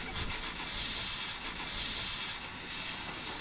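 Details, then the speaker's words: Cab-over truck air brake system: a steady high hiss with no rhythm from a hole in an airline. "Yeah, there's a lot of hissing going on. Sounds like he found it. There's a hole in an airline."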